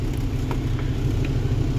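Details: 1978 Glendale motorhome engine after the alternator was sent out for testing, with charging voltage measured at 14.5 volts: a low, steady, even idle rumble with no knocks, misses or whine, sounding healthy.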